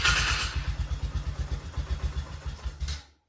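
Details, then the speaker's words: 2000 Polaris Sportsman 6x6 500 ATV, 918 miles, bought non-running, briefly running before carb cleaning (suspected fuel issue, won't stay running): even, steady single-cylinder thumping, no knock or valve-train noise, quiet and decent before cutting out. "Okay, so I don't notice any like major knocking or anything like that. It actually sounds like it's pretty quiet. It runs pretty decent. No valve train noise or anything like that."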